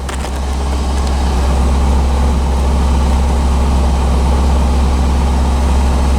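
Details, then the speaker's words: 1985 Chevrolet C4 Corvette after fixing poor negative battery cable connection that caused no-start: steady, even low rumble at idle, no knocks or misses; battery charging, oil pressure and rpm good; normal idle. "but now it's working and as you can hear running battery's charging oil pressure is good rpms are good"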